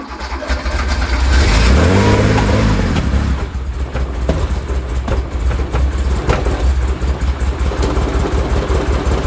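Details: 1973 Porsche 911T with points ignition and CDI box, sitting since 1998, after fuel drain and new spark plugs: revs surge then drop to a lumpy, stumbling idle; rough running, owner suspects timing or points gap.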